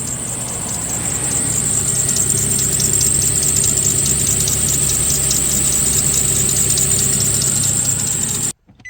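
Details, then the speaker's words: 2016 Nissan Frontier 4.0 V6, manual, 59,000 miles, sat for a couple of years: loud, steady high-pitched squeal over the idle that doesn't let up. The alternator is failing and is being replaced. "so I'm going to give you a little sample why we are replacing this alternator my truck's a stick and pretty sure you can already hear that cuz it sounds like"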